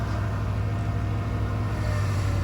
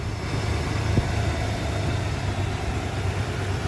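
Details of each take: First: 1995 Ford F150 at idle with the factory Ford power steering pump: a thin whine rides over the engine rumble every time the steering wheel moves, the classic Ford pump whine that swapping to a Saginaw pump is meant to cure. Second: 1995 Ford F150 after swapping the factory power steering pump for a Saginaw pump, idling in park with steering wheel still: low, steady idle rumble with no whine on top; pump runs quiet, normal idle.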